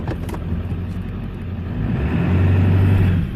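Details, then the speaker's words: Ford F350, 283,000 miles, replacement transmission about 120,000 miles, torque converter 8,000, refilled with about 4 gallons fluid; engine note drops and loads up as reverse takes hold, clean firm engagement without clunk or flare. "Hear it lugging, that means it's working. We got reverse."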